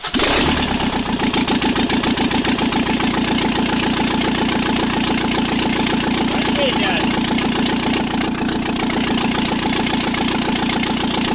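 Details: First start after repair, run without turbocharger, exhaust manifold, most sensors or cooling system: loud, crisp exhaust pops at an even beat after a quick start, no skips; exhaust felt at each cylinder was even, so all cylinders fire evenly.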